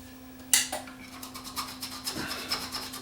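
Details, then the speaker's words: Variac powering a Leak Delta 75 receiver on test: irregular crackling and sizzling bursts over low mains hum as the worn variac arcs internally and cuts out its output. "my verac's cutting out on me oh I can hear my varc is sizzling away"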